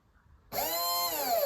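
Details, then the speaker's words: RC car Vector SR48 electric motor bench-tested direct to the battery while fault-finding: snaps up to a high, clean steady whine with no rattle or stutter; the motor is fine, the fault lies in the ESC. "so we know that's fine that motor is fine so it wasn't the motor at fault"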